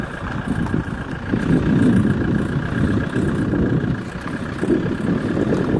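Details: Alfa Romeo 147 JTDm diesel with an uneven gravelly rattle that swells when the clutch is released slowly with throttle applied and then released, and also when accelerating at low speed.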